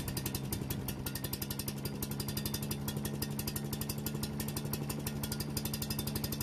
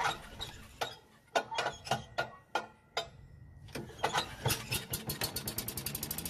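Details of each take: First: Yardman leaf vacuum/mulcher small single-cylinder engine after carburetor work and reassembling: steady, even chugging around four pulses a second, no misses or surging; running properly, warming up for an oil change. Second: Yardman walk-behind leaf vacuum/mulcher that won't start after storage, tested with starting fluid: slow uneven cranking pops, then the small engine catches and races; starts-then-dies test points to the carburetor or stale gasoline, carburetor suspected.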